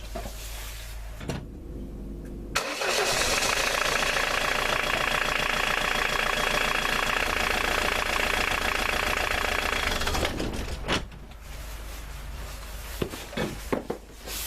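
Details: 1999 Ford Mondeo Mk II 1.9 TD diesel cranks, catches and settles into a steady idle after the alternator V-belt was tightened; no belt squeal over the diesel clatter, belt running quietly.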